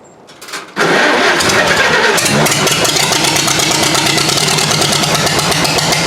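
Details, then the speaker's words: Farmall H snow-plow tractor, on 12-volt battery in former 6-volt system, at start: catches with a rush then runs ragged and stumbling, running on 2 or 3 cylinders before the 4th kicks in; misfire on start. "Also, when it does fire up, it tends to run on like 2, maybe 3 cylinders for a while, and then it finally kicks onto that 4th one."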